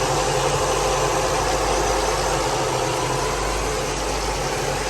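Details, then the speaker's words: Car with new fabricated fan shroud fixing overheating, idling at about 175–180°F, PWM-controlled fans at part speed, not maxed: steady even idle under constant radiator-fan whoosh, no knocks; normal idle with fans running. "So basically, it sends the pulse to the motor, and then the pulse width is determined by how long or how fast the fans are spinning."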